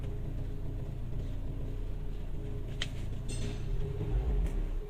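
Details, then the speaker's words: Buick Excelle (凯越) at idle, heard in the cabin: a heavy, steady low booming drone felt like an earthquake. The body resonance goes away when accelerating, and its source is not yet found. "给大家听一下它这个声音啊，特别的大，就感觉像地震了一样。可能视频中听不太清楚，但是实际坐在车里面的话，声音是非常的大。"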